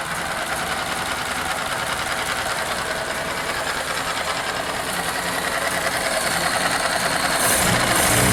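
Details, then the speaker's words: 1931 Ford Model A four-cylinder, just restarted after a shorted headlight wire blew the fuse: light, uneven ticking of about three beats a second with a stumbling rhythm; running rough, dirty distributor cap and points suspected. "yeah this is probably why it runs bad"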